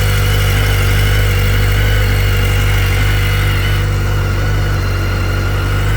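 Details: 2010 BMW K1300GT motorcycle at a cold start: smooth, steady low burble at cold idle with an even beat and no ticks or rattles; sounds good and strong, no smoke, healthy.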